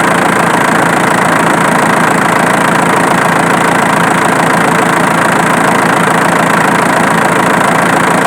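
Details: Diesel engine at steady idle with sharp, fairly regular ticking about four times a second, located with a camera; the source is the alternator, not the injection pump as suspected.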